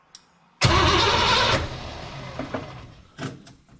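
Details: Cranking no-start with the fuel pump lid off: one strong crank of about a second fading into a couple of faint puffs, spinning but not firing. The owner suspects the brand-new fuel pump is bad, as bubbles leak around its diaphragm.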